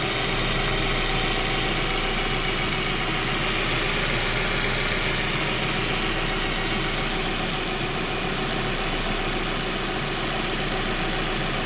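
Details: Audi/VW 1.8T engine at idle with a brief rev: fast light ticking, roughly three or four per second, over a steady idle; cause unclear: engine ticking noise.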